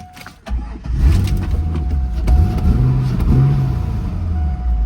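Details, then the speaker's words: Auction car on cold start: catches, then idle sags and surges unevenly, kept alive only by throttle blips; won't hold idle on its own, though engine otherwise sounds solid; engine is dirty. "oh look at that thing it's struggling to I got to keep kind of patting the throttle here and it it'll keep it running like that but it runs that's the main thing"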